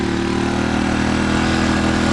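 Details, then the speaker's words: Sportsman GEN1000i generator, fan plugged in on setting 1: steady small-engine drone lifts slightly in pitch as load comes on and holds smoothly; handling load normally. "Of course, you hear the sound of the engine kick up a little bit there."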